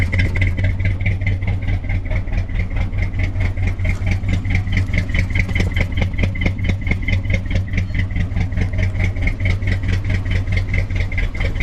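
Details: Wrecked 1974 Ford F100 parked for years, preliminary run before oil change: lumpy idle with loose pulsing beat around two per second and clatter; owner says it needs a severe tune-up, probably plugs, compression and valve train unknown.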